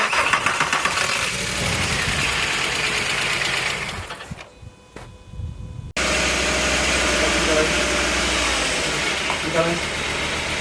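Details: Mk4 VW Golf engine after a rebuild, jump-started: the engine cranks and fires, cuts out briefly, then restarts and settles into a steady, even idle with no knocks or misses.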